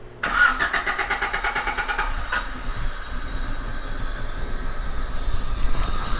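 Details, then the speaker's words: Car cranking after a DIY oil and filter change: quick, even starter chatter for about two seconds, then a rough low rumble; crank, no start. "the car started to misfire and then it just died and I couldn't start it up again"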